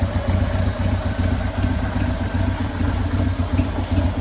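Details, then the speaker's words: 2000 Buell Cyclone M2 V-twin idling after lifter and battery install: steady, even lumpy beat, no ticking or knocking; initial lifter tick gone, normal idle, carburetor needs no more work. "I guess I don't have to do any more carburetor work. It's idle nice. A lot quieter than it was."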